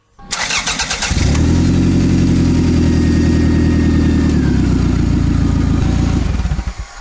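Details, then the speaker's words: 1996 Toyota Camry LE: loud, raspy low rumble with a puffing edge; exhaust leak from the flex pipe right after the downpipe, rotted out and completely broken, with a prior hose-clamp patch. "yes this car is totally the opposite of everything that the factory had intended for it and that's because the flex pipe right after the downpipe into the exhaust pipe system underneath the car is rotted out and completely broken"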